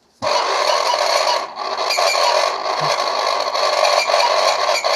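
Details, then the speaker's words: Bathroom exhaust fan motor run with the impeller removed, after it had jammed from built-up dirt. It spins up with a dry, scraping chatter and repeated chirps, suspected low lubrication of the motor shaft bearing; the planned fix is oiling the shaft. "Now it's making a chirping sound. It seems the motor is low on lubrication, so we'll need to investigate to see if there's a solution."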